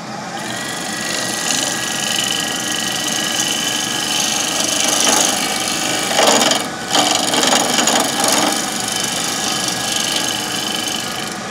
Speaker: Gets rounder, you hear the noise stopping, the chatter stops.